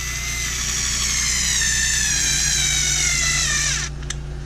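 Steady high motor whine that sags slightly under the trigger, then spins down cleanly and stops; the screwdriver sounds healthy.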